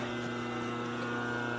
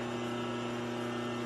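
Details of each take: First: 1946 Harley 84ci stroker knucklehead rebuild, cranked in neutral during a timing check; it hit pretty hard at five. Steady rhythmic firing at about 200 beats a minute over a low drone; it catches strongly and evenly while cranking. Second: 1946 Harley knucklehead being rebuilt, cranked over in neutral to spin easier during a timing check. Steady droning crank with an even low hum and no firing; it turns over but doesn't hit.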